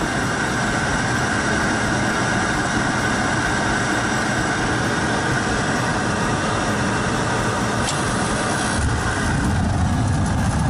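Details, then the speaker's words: Lennox GCS16 rooftop unit, single in-shot burner, no heat after gas turned on; old Fenwal ignition control had 24 V in but no output, control replaced: steady even burner roar with constant blower hum, no popping or flame-out; fires healthily. "Oh, that's a good sound. Hard to see in that. Lennox one single in-shot burner."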